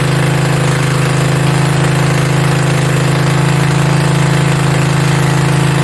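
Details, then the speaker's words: Mini bike V-twin, a generator engine, first start with belt off and throttle knocked up; fast even low thrum, steady with no dip or hunting; idling way too high, fix is the idle screw underneath needing a screwdriver. "i thought i was gonna be able to adjust the idle up on the top part but there's actually a screw underneath holding it because it's idling way too high so i gotta find a screwdriver and get that adjusted"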